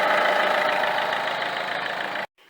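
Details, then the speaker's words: Peugeot 307 2.0 HDi 110 hp (RHS) at idle, heard near alternator: steady harsh rubbing hiss with faint fixed tone, vibration at a different rhythm from engine, lessening when pressed; Bosch alternator decoupler pulley found faulty. "donc j'ai senti des vibrations anormales au niveau de l'alternateur autre que les avec un autre rythme que les vibrations provenant du moteur et lorsque j'appuie dessus très fortement le bruit diminue un peu"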